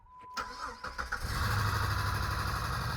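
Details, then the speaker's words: Jeep with a 350 engine after the camshaft sensor was replaced, started in neutral. Brief quick cranking, catching around one second in, then a steady idle: normal start; it seems to need a muffler, and a ticking is noted. "Look at that. It was a camshaft sensor the whole time! Woo!"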